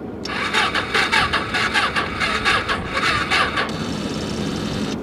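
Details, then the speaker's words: Small salvage Ninja motorcycle at a Copart yard, battery has power: a few seconds of quick starter cranking chatter, engine never catches or runs on its own; cranks but won't start. "come on there it goes it ain't looking good it's not looking good still not looking good"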